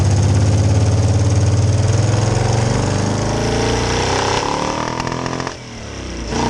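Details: 1966 Chevy C10 rat rod V8, rebuilt carb: lumpy surging chug with brief power sag under load; carb bowls empty faster than fuel pump supplies, though pressure held at idle and cruise.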